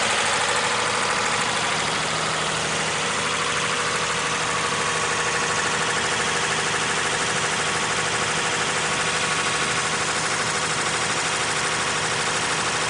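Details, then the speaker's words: Car running hot while sitting, as in a drive-through, with a loud constant electric cooling fan roar that never cycles off over a quiet idle. The fan is going crazy and needs replacing; the same car earlier needed a plug and coil for a cylinder 5 misfire. "This is that same car, and the electric fan was going crazy, and the car was trying to run hot when you were sitting in a drive-through and stuff like that."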